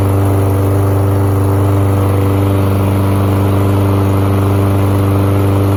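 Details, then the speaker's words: Lawn mower that only ran on starting fluid, after carburetor removal and cleaning of suspected gummed carb: steady even engine drone with no surging, misses or rattles; runs smoothly. "Well, I would say that is a successful carb cleaning job."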